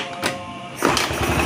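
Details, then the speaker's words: Honda Beat FI scooter after new starter dynamo and kick-start gear replaced (kick previously slipped, electric start rough): engine catches within a second into quick even putter; starts cleanly. "kita coba starternya nih kita starter ya Nah dan mesinnya halus ya starternya halus"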